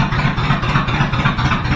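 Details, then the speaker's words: 1986 Chevy Suburban with new exhaust and temporary bullet mufflers, band clamps, no turndowns yet: deep, loud rumbling V8 idle with steady rapid pulse and heavy low boom; too loud, different mufflers needed. "all right guys it's pretty loud so we're going to have to use different muslers sounds good"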